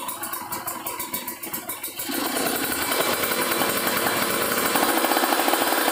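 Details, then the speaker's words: Kawasaki Ninja RR two-stroke, PWK30 carb re-tuned after a ground wire install, revved unloaded: blips then a ragged, burbling high note that won't climb, limiting before 10,000 rpm where it earlier reached 12,000; owner suspects the still-cold engine, possibly running rich. "Ini masih dingin kayaknya teman-teman, jadi belum 10.000 RPM udah ngong. Udah ngelimit."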